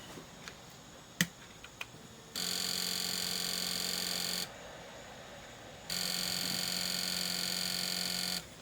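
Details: Sony PS2 Slim SCPH-70012 with a used laser swapped in from another console: a few light clicks, then two steady two-second whirring spin-ups that stop; drive spins but never reads the disc.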